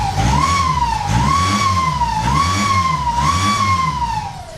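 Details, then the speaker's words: Peugeot 206 2.0 HDi diesel, stage two, just fitted with a front-mounted intercooler: boost crept to 30 PSI, then a loud wavering whistle rising and falling with revs over the diesel rumble; a pipe possibly came off, but the owner concludes he popped the turbo. Turbo whine. "oh dear that didn't sound good that sounded really bad that sounds really bad the PIP just come off let's hope so that the turbo's gone"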